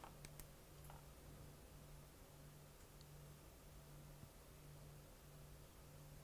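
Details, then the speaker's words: MacBook logic board after soldering repair and alcohol cleanup, first power-on: soft, steady low whir with no surging; the cooling fan, previously racing, now spins at normal speed. "what do you know the fan is not racing anymore it's spinning normally see did hear that it's a normal spinning fan"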